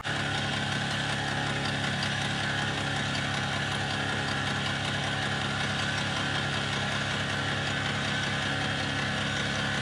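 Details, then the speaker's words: 5 hp four-stroke outboard on a Snapdragon 24 yacht in a 20–25 knot headwind: steady drone with a faint irregular ticking about once a second, early warning of the failing gearbox, shortly before a horrible noise and cut-out. "Suddenly, the engine made a horrible noise and cut out."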